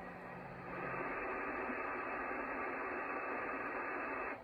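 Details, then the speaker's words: Icom IC-746 Pro on an MFJ switching supply at about 13.8–14 V after power reset: steady smooth hiss with no crackle, hum or dropouts, squelch working and S-meter no longer pinned; normal receiver background. "the squelch works properly it sounds normal and the s meter is gone"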